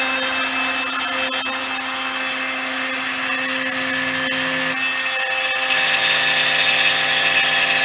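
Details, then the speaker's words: New 4x8 CNC router with a new router, cutting an arcade cabinet: high steady spindle whine and even cutting hiss, no jitter. A loose mount caused earlier jitter; once tightened, cutting is normal and smooth. "we think we smoothed it right out oh hell yeah"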